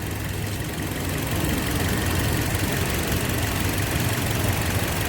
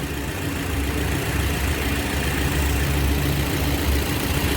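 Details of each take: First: 2007 Toyota (Yaris) idling with the AC on, after the customer's old ignition coil was swapped in to cure hunting and misfire: a steady, even idle with no hunting or stumble, all cylinders firing cleanly. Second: 2007 Toyota (Yaris) idling with the AC on. The customer reports jerking, hunting and misfire. Low, uneven thumping with an occasional stumble as a cylinder drops out, traced to a failing ignition coil.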